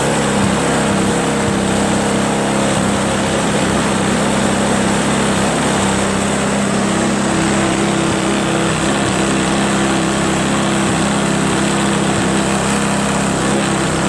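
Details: Craftsman 522 4-cycle single-stage snowblower after draining water from gas tank, cleaning carburetor, flushing and replacing fuel lines and primer hose: steady, even single-cylinder buzz at constant speed with no misses or surging; normal running.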